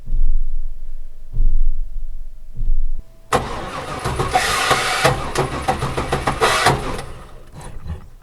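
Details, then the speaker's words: 1997 Chevy Express G30 cargo van before starter replacement: a few short tries, then several seconds of harsh, uneven grinding whirr while cranking; the starter is making awful noises and is worn out. "You can hear the starter making some pretty awful noises."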